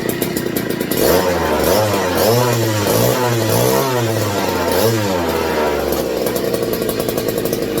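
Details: McCulloch MC49 two-stroke, first run in over 40 years on a substitute 090 carb, started in a 62°F shop: crisp rasp blipped up and down, then settling back, firing evenly with no rattle or misfire; runs healthy.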